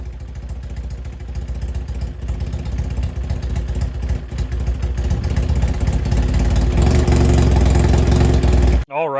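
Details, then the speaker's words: 1995 Kawasaki ZX7 motorcycle revived after water got into the engine, flushed with transmission fluid, muffler removed, fresh fuel: loud, uneven burble with ragged low pulses; runs rough, not firing cleanly. "As you guys can hear, it is not sounding amazing. I had to take the muffler off of it because when the water and everything got down this motor, I filled basically everything full of transmission fluid."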